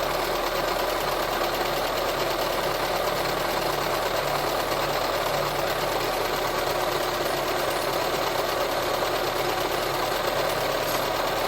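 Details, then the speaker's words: VW Touran 1.4 TSI, first start after engine reassembly, fast idle with the A/C compressor pulley disengaged: a busy, steady whirring rattle first taken for the timing chain. Found to be the water pump idler pulley, not the chain. "en fait c'est pas la chaîne qui fait du bruit c'est pas du tout la chaîne même c'est le galet de pompe à eau"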